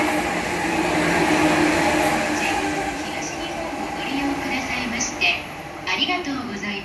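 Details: E235-1000 series 15-car train passing Motoyawata station at high speed: a rapid repeating wheel thump over the rail roar from wheel flats on the rear 11-car F-19 set.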